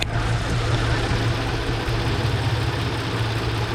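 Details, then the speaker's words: 2009 Lincoln MKZ at idle; the customer reported a misfire on cylinder 4 and scope testing suggests a wiring harness fault. Uneven low throb with irregular beats as the engine starts shaking: rough idle misfire, cause not confirmed. "It's right there. It starts shaking."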